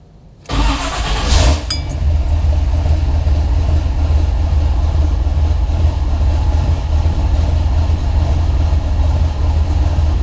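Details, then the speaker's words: 1976 Pontiac Trans Am, twin-turbo on Microsquirt, four-speed, started after replacing a circuit breaker, about 90°F ambient, idle stepper at zero steps: catches quickly with a short flare, then settles into a low, even, steady idle. Healthy cold start. "Wow, that's basically just cold. And like I say, I'm not using any idle stepper at all. Zero steps."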